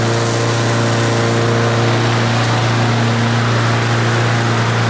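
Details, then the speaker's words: Revived lawn mower engine, road test while mowing: steady, even single-cylinder drone with no misses or surging under load; starts well and runs smoothly. "yeah she starts real good runs nice and smooth so that's a good motor"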